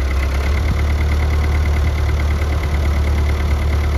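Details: Old Oliver tractor, exact model unknown, about 50–60 hp, hours unknown: a steady, even low rumble at idle with no misses or knocks; the engine sounds healthy, though the owner later notes an alternator noise.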